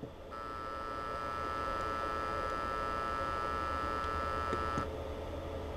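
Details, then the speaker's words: Small TDA2050 stereo amplifier whose power supply has undersized filter capacitors: when the signal is turned on and the supply is loaded, the transformer gives a steady buzzing hum while delivering heavy current, which stops when the load is removed. "so when I load down this Transformer I am getting a nice hum there because the Transformer is delivering heavy current"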